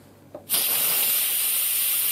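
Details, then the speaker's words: Instant Pot-style pressure cooker, quick release after about 10 minutes on keep warm following a 25-minute pressure cook: sharp steady high steam hiss starting abruptly, normal venting until the pin drops. "but let's go ahead and release the pressure one more time no worries guys"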